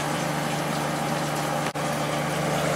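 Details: Late-90s Whirlpool Accudry 40-pint dehumidifier (reciprocating compressor, Emerson fan motor), running open after ~10 minutes, evaporator fins just combed straight: steady even hum with smooth fan rush, no knocks or rattles; coil condensing, not frosted; running normally.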